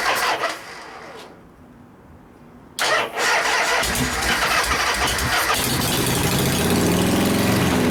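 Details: 1973 Harley-Davidson FX 74ci Shovelhead after frame swap: starter churns steadily at three or four beats a second but never catches; little fuel reaching engine, carburetor float or varnish buildup suspected.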